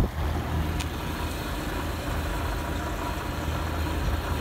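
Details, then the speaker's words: Vintage 1955–58 Westinghouse casement air conditioner, casing removed, nearly 70 years old, compressor test. Steady low hum without rattles, clicks or surging. Compressor runs normally and blows cold despite completely dirty coils. "oh my gosh it's working Wow actually working the Sur conditioner is nearly 70 years old oh my gosh cold that's really cool"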